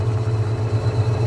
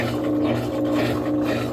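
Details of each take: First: Washing machine brought in for not spinning, after repair and partly still disassembled: the spin cycle runs quietly and well, with a low, steady hum, a gentle even pulse and no knocking or scraping; normal spin. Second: Top-load washing machine on spin cycle: basket stopped, only agitator turning, churning back and forth about twice a second instead of winding up. Technician suspects shift actuator, possibly burned.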